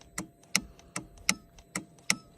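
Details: Motorcycle-type 850 (as labelled) will not start: 12 volts reaches the solenoid and the dashboard works, but each button press gives only sharp single clicks about a third of a second apart and the starter never turns. A push-start was also tried; cause not confirmed.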